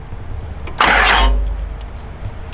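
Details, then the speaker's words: Newly acquired Cummins diesel truck engine, parked long, feared seized, said to run well before parking: strong burst of starter cranking, engine turns over freely and is not seized. Normal cranking. "good sounds good oh yeah she'll crank yeah she'll crank"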